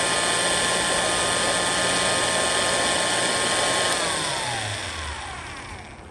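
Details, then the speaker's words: Restored antique Signal Type OB-4 oil can electric drill, rewired, oiled, greased, new brush cover, test run as oil and grease work in: smooth even high whine picking up speed, then pitch glides down coasting after switch-off; healthy motor. "And now let's hear what this thing sounds like. Get that oil and grease in there. Hear it pick up?"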